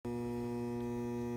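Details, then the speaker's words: Trane A/C outdoor condenser fan motor: steady electrical hum, tries to start but blades don't turn; unit blows only cool air and the capacitor is visibly blown. "I can hear it's humming, as if it tried to start, but it won't."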